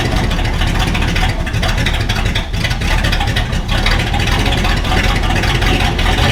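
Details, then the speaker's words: 1968 Ford F-100 V8 after tune-up (carb mixture, points gapped, timing adjusted), now starting better, no muffler fitted: loud raw open-exhaust roar pulling cleanly as it revs; normal running without muffler. "you tell we still need to get a muffler on it that's coming in next week hopefully we'll get that done"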